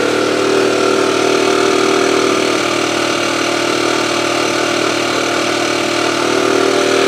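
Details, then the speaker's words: AV89 two-stroke moped after an ignition repair, now starting well: buzzy, uneven idle near three pulses a second with occasional stumbles; low compression and the engine turns too freely, head gasket leaking, head tightness to be checked. "Enfin déjà, il y avait quand même un problème d'allumage, hein, parce que là elle marche nickel, enfin elle démarre nickel. Par contre j'ai pas de compression, ce qui explique mon ralenti."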